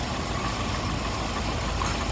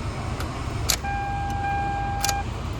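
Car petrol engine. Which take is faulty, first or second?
first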